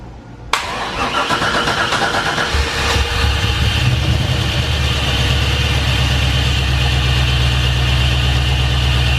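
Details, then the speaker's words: Honda S2000 with brand-new replacement LS V8 swap on fresh conventional break-in oil, catalytic-converter exhaust: first start catches instantly and settles into a deep, steady, even idle with no knocks or misses; engine healthy, exhaust quiet. "how'd you hear the motor sounds fantastic this is the new replacement motor and it sounds great also happy to report the exhaust sounds pretty good he's pretty quiet"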